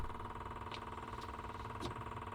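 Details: RV generator started after solar and lithium upgrade: quiet steady engine hum with even beat and a few light ticks; starts and runs smoothly.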